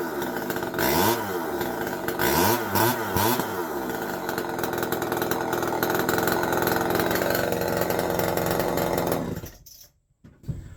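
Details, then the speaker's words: Homelite XL-101 two-stroke chainsaw, run in the shop after tank vent repair, carburetor rebuild and tuning, side cover, bar and chain refitted: high, steady buzzing with quick throttle blips, then cut off; runs clean and even, normal running. "so there you go uh you can kind of see uh you know Kevin is up and running"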